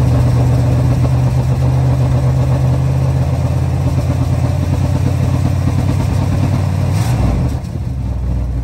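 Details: A 1977 Chrysler Town & Country V8 idles off a gas can after a pinholed metal fuel line was replaced. It holds a deep, steady, even rumble with no stumbling or popping and settles slightly near the end: normal idle.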